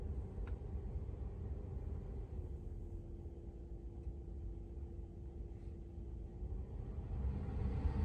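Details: 2022 Tesla Model 3 rear-wheel drive with heat pump, very warm day, defrost on, heard from outside: quiet, steady hum with a faint constant tone over low outdoor rumble, no rattles or surging; heat pump running normally.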